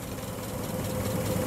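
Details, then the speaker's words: Forklift engine idling normally after a cylinder repair: a steady, even low rumble with no knocks or misses, running just as it should. "there we are just like it's supposed to work"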